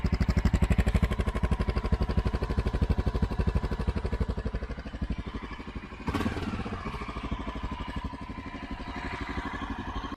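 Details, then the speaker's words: Honda XR650L jetted 52 pilot/155 main for 2,000 ft with Dave's mod and stock pipe, idling at 6,400 ft after a hard rich start: steady, even big-single thumping, no misses or knocks, slight blip midway; idles fine for practical purposes. "once it started, it idled fine. I mean, you would really need sensitive ears to hear the difference in idle, but for all practical purposes, it ran absolutely fine."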